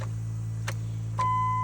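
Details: 2003 Dodge Ram with no crank, no start after the owner replaced the radiator, loose positive battery terminal found: key turned, only a steady dash chime over a low hum, no starter click or cranking. No crank because the starter relay connector was left unplugged.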